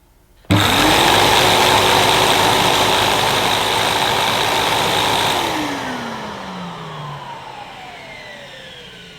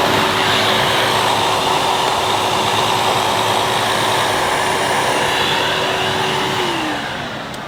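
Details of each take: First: 2005 Numatic Edward Turbo vacuum switched on with turbo electric head connected and handle switch on; motor starts sharply into a steady high whine with even hum, then spins down smoothly. Normal start-up and run, electric turbo head works. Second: 2005 Numatic Edward Turbo vacuum with turbo electric head on carpet: steady vacuum roar and motor hum that drops in pitch and fades as the head cuts out intermittently; a loose connection is suspected, either in the head or the switch.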